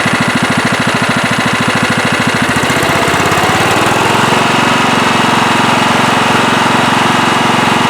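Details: Late-1990s Scotts lawn tractor, single-cylinder Kohler, had surged after sitting for years; after carburettor cleaning and rebuild a chugging beat settles into a steady, even hum with no surging.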